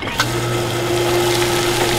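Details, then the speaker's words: Water pump less than a year old that had grown growly and noisy and wouldn't hold above 40 psi, now after repair. Smooth, steady motor hum with a clean even tone and no growl or rattle, quieter than before; normal running. "Okay. So now it was running before. So it looks like we got a pump that works now."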